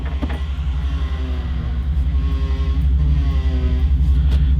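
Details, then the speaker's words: Hemi-swapped Jeep, reconditioned power steering pump only a year old, heard from inside the cab: deep engine rumble with a thin, wavering whine from the tired pump; to be replaced along with a new power steering hose. "power steering needs to be replaced it's whiny it's tired and what sucks is this one's only a year old"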